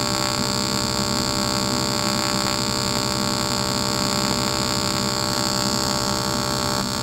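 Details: Aluminum TIG (GTAW) weld at about 100 amps on a machine ranging up to 140 amps, filler added to the puddle: a steady, even buzzing hum with no crackle or sputter, holding constant as the bead runs, a stable, healthy AC arc.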